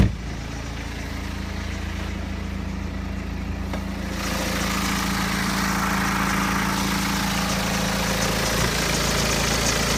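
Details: BMW 120d N47 diesel at 125,000 km, cold idle: fast light rattle about three a second riding on the steady idle, clearer when cold; suspected timing chain noise, not confirmed.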